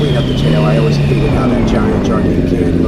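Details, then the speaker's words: Honda CBR1000RR with custom over-tail exhaust fabricated from an old can: steady deep drone, smooth even pitch shifting a little with throttle, no rattles; healthy exhaust note. "stick it out but yeah not only doesn't look much better but it sounds a lot better as well"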